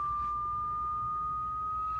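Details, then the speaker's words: Ling LS-100 shaker in final testing, driven through a sine sweep climbing past 1,000 Hz. A clean, steady whistle holds evenly over a low room hum; the sweep runs smoothly. "okay what she's doing she's driving through the range we at 1,000 htz now uh th000 htz and climbing you can hear it whistling"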